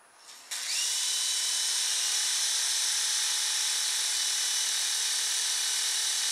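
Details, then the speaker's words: Silverlit PicooZ Sky Challenger toy helicopter (channel B) after only seconds of charge: thin, high whine with no rotor thump; the motor spins before the rotors move, and the owner suspects missing gear teeth. "for the motor's starting to run before the rotors are moving so I think we might have some teeth Miss Missing in there"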